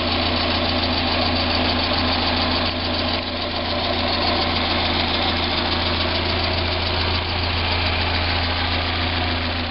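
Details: 1990 Mazda Miata at idle: steady low hum with a faint, irregular ticking-knocking that is present at idle but separates from the HLA tick when accelerating or decelerating; persists on 93 octane, so owner doubts ping. Unidentified engine noise.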